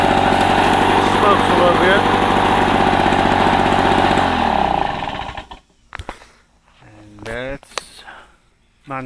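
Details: 1984 Lawn Boy two-cycle push mower, found roadside, after a rebuild of its clogged carburetor and clogged exhaust: two-stroke buzzing steadily at a high even pace for about five seconds, then shut off; sounds healthy.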